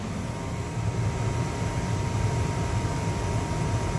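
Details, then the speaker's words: 70,000 BTU upflow Lennox furnace after pressure switch replacement, new filter and cleaned flame sensor: steady even low rumble of burners and blower with faint hum, no clicks or rattles; heating normally. "And everything is heating up."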